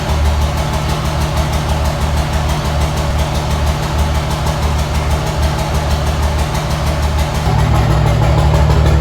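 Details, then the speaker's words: 2005 Cummins 24v common-rail diesel with about 8-year-old 100-over injectors and 6680 Silver Bullet turbo, before top-end rebuild: a cold, clattery idle at about three beats per second, slightly uneven; slight miss at idle. Owner also notes a valve-train chirp and white-smoke haze. "I'm gonna crank it up so you guys can hear, what it sounds like right now. It's got a slight miss at idle and everything, and then we'll jump into the next step."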